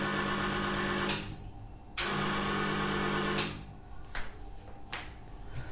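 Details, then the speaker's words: Electric fan that spins freely by hand but jams once powered: loud steady electrical hum cutting in and out abruptly with no spin-up; motor hums but does not turn, owner thinks fan is jammed, cause unconfirmed. "इसे मैं अपने हाथों से घुमाता हूँ तो बड़ी आसानी से ये फ़ैन घूम जा रहा है। ये देख सकते हैं कितनी आसानी से घूम रहा है, लेकिन इलेक्ट्रिसिटी देते ही ये फ़ैन जाम हो जा रहा है।"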